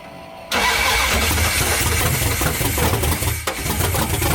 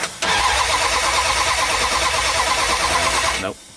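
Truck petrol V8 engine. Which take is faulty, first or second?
second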